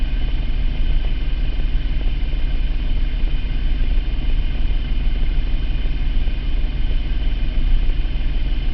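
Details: 2003 Mitsubishi Eclipse GT 3.0 V6, 92k miles, P0300 since 70k only at idle; plugs, wires, cap, rotor, air filter replaced, compression, injectors checked, no vacuum leak found: uneven wandering idle with occasional stumbles, hunting idle with random misfire, cause unknown.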